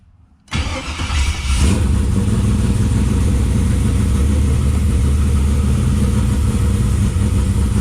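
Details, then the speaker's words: 3rd gen Camaro with new Hooker Blackheart dual exhaust, Wix filter and fresh oil, first start after a long while: catches at once, deep even lumpy cam idle with steady exhaust rumble; healthy start. "Okay, we're getting ready to fire it up and see what the sounds like."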